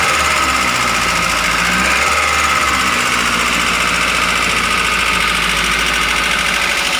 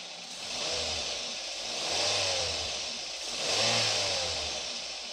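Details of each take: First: Grand Max engine running rough: idle with a sharp, uneven ticking clatter; piston, bearings or valves suspected before teardown. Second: Daihatsu Gran Max engine that ran rough because the valve clearance was too loose, heard after repair, refitted in the vehicle. Revs climb and fall smoothly with an even note and no rough clatter; the sound is back to standard. Normal running.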